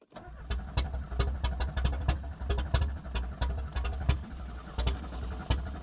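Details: Audi 80 that would not start, spark fault traced and new ignition control module fitted: cranking with uneven bursts of firing that catch and stumble, engine lighting off as spark returns.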